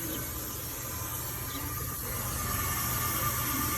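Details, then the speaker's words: 2005 Ford F-250, towed in with a crank no start: shop air fed through the high pressure oil system after the IPR valve was found faulty with a plugged screen. Steady loud hiss over a low rumble reveals a massive high pressure oil leak. Teardown recommended: valve covers, high pressure pump fitting. "so at this point we have a massive uh high pressure oil yeah"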